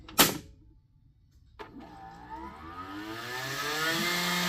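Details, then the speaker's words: Grundfos SQ 3-inch submersible well pump (SQ190/SQ200, customer return) on test: click then motor hum climbing smoothly over about two seconds and settling, valve fully open; normal soft-start ramp-up. "Isn't that cool it ramps up nice and slow so right now we are completely open and we are flowing almost n gallons a minute"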